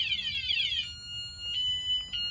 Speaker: My bike's not too happy about me trying to take it. You see, it's making all different types of tones.